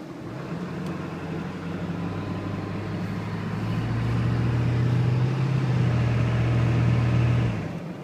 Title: 7.3 turbo makes loud noise when cold, any ideas